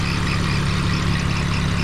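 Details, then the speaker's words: 2001 BMW E46 325Ci, 170,000 miles, idle right after a Motor Medic engine flush and oil change for a ticking sound: steady even idle with a low hum, ticking gone; one pulley still squeaks. Normal idle. "It doesn't sound as bad. Just the pulleys are being noisy now, but I'll take care of that."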